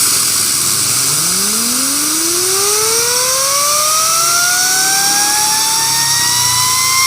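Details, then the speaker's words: Honda Scoopy scooter with a humming, whining complaint, engine disassembled and the microphone held close: the crankshaft bearing whirs up with a harsh, scratchy hiss instead of spinning smoothly. It is worn, with black grease. "ada suara gemesek Nah kalau di bagian sini nggak bisa ya teman-teman karena ada penutup bearingnya nah seharusnya ini karo laher Normal itu ditiup pun suaranya tetap halus"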